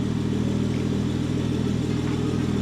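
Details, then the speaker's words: BMW 535xi E60 (N54) idling after misfire fix, cooling fan on, no misfire occurring: steady even idle with smooth hum, no stumbles or missed beats; engine running cleanly, normal idle. "Come on. Misfire. It's like I want this car to misfire. Wait, it's not misfiring yet."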